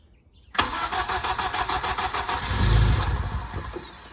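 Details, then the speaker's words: Modded K24A1 VTEC-lock engine in 7th-gen Honda, first start: starter whirs, engine catches and runs ragged on throttle blips, then sags as revs drop; won't idle on its own, throttle stop closed and TPS uncalibrated. "oh got a little life is that on its own she's alive but not idling on its own you got to keep revving it"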